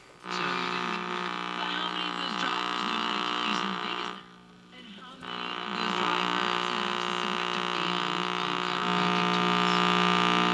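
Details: 1961 RCA KCS133 portable black-and-white television at power-up: loud steady buzzy mains hum from the speaker, briefly dropping out; audio detector tube or circuit suspected faulty.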